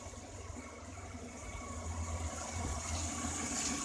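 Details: Petrol engine after service, with suspension noise and engine vibration addressed: steady low idle hum with no knocking, whining or grinding; now runs smoothly.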